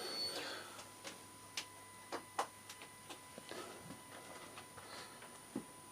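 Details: Suzuki GSX-R 600 with ignition switched on after refitting indicator: light, uneven ticks a few per second over a faint steady electrical hum; source unknown.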